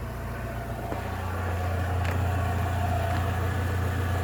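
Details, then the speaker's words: Rover 45 Impression CVT with 1.8 K-Series petrol engine, jacked up, idling after a full engine service (oil, oil flush, filters, Denso spark plugs): steady, smooth, quiet hum with even firing, no whine or knock; normal idle, earlier noise much quieter. "There's no noise. Unbelievable. Well, I say there's no noise. I've just jacked it up. There's absolutely no noise from this car whatsoever."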